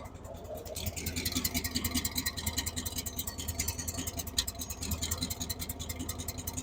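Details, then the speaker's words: 1978 Chevy K10, 305 V8, idle after fixing a vacuum leak with a temporary line: valve tick gone, valvetrain good, but idle still rough and loping, two to three pulses per second; timing seems far advanced. "Well, as you can hear, she ain't ticking over here now. She's still running a little rough."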